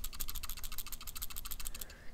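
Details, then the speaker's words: SMOK X-Pro M50 50 W box mod: quick light plastic rattling from its loose plus and minus adjustment buttons, not from anything loose inside. "hear that rattling so that's these plus and minus buttons they they're just a little bit loose at first I thought something was loose inside and then I realized it was the buttons"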